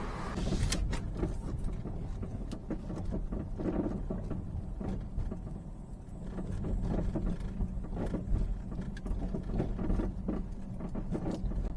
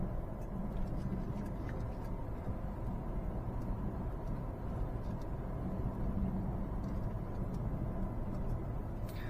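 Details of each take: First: Peugeot 308 driving over uneven pavement: irregular dull knocks over low road rumble, unaffected by braking; front shocks dead and a lower arm damaged but ruled out; traced to worn sway bar end link. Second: Peugeot 308 road test after the repair: steady low road rumble with no clunks over bumps. The suspension noise came from the anti-roll bar's short vertical link, and the lower control arm bushing had also failed; both front shock absorbers are dead.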